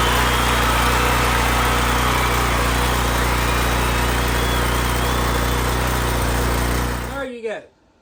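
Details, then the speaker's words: Troy-Bilt pressure washer with Briggs engine, about five years old, after cleaning carburetor of stale fuel and a temporary homemade gasket: steady even buzz at constant speed, then shut off; running great again. "got a PR pressure wash that's running great again"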